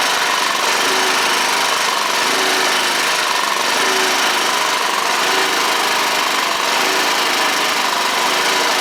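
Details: Honda HR215 walk-behind push mower, after no-start repair: small single-cylinder engine holds steady, even buzzing run with no surging or misses; normal running.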